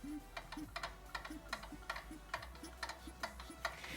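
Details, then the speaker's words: Small two-stroke turned over without firing: sharp dry clicks, about three a second, meaning the reed valves are dead and letting in air, so the engine runs badly. "le bruit que vous entendez je sais pas si vous entendez vous la caméra c'est c'est un espèce de un espèce de crap je sais pas ce que c'est mais bref voilà ça signifie que les clapets sont morts et donc qui dit clap mort qui dit bah prise d'air"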